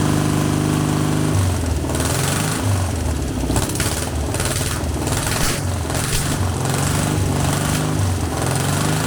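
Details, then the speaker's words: Long-dormant 1200 VW Beetle air-cooled engine on a test stand after freeing a stuck lifter, no parts replaced; ragged start settling into a steadier, even putter with smoother idle, sounding much better; normal running. "stay on for God's sake hey that's sounded much better [Music]"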